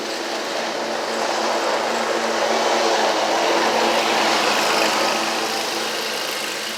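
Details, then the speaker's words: Scag Tiger Cat II zero-turn, Kawasaki FX691V twin, repaired (push rods, cylinder-2 rocker holder, choke, fuel filter), driving under load: smooth steady engine drone, no popping or uneven beat, both cylinders firing; normal running. "So I'm going to press down on the seat and get it crunk. Or now I'll just sit on it. Y'all can hear it crank. So she's 100% better."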